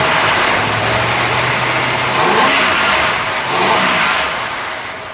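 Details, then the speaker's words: 1970 Dodge Challenger R/T V-code 440 V8, restored, no leaks seen, off the lift; deep steady burble with a couple of clean blips rising and settling smoothly, normal idle and rev. "That way you get to hear that big 440 in there, listen to it hum a little bit"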